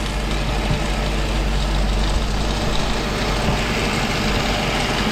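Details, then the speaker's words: Mercedes SLK 55 AMG (R171) M113 V8 at idle, rattling like crazy from the belt drive: drive pulley split down the middle into two parts, held together only by the serpentine belt; before pulley and belt replacement. "this old guy here if you can hear it rattles like crazy and I'll I'll turn the engine off you see the actual damage it's kind of it's split down the middle so it's in kind of two parts"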